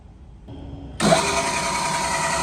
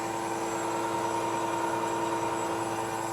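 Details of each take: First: New KBC Tools milling machine at first power-up: motor spins up into a steady loud hiss with a thin high whine; head noisy. Owner suspects the belt needs belt dressing, applied afterward. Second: New KBC Tools milling machine, first cut with new Walter tooling machining a T-nut, after belt dressing, feed increased: smooth constant cutting hum, steady pitch, no chatter or squeal; cutter and spindle running smoothly.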